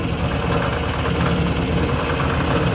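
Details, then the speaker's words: Lathe three-phase motor on a single- to three-phase VFD, basic settings, belt just reinstalled, speed control lever stiff: steady low droning rumble with a rough, gritty edge; kind of noisy, cause unconfirmed. "so what I'm doing here I know it's kind of noisy there's a [Music] uh speed control lever here"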